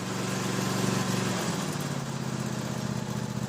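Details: Toro SW 2400 lawn tractor held at raised rpm during a charging system test, tester needle just on the edge of good charging: a steady, smooth small-engine drone with no knocks or misses; engine fine.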